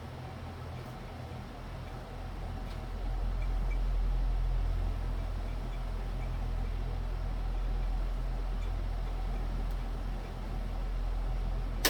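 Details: ILG Model 243 electric fan after replacing dry, crunchy original bearings with new sealed 88503/88504 bearings and adding a spring washer to remove shaft end play: smooth even run with faint steady whine, coasting quietly to a stop.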